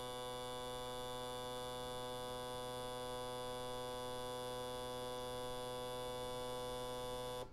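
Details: Autool CT-200 fuel injector cleaner/tester running test 10, the 10-second high-speed spray test run three times at constant pressure, on injectors for 5.3L Jaguar V12 rebuilds; steady electric buzz holding one pitch then stopping cleanly, injectors pulsing evenly; flows close, about 49–50 ml.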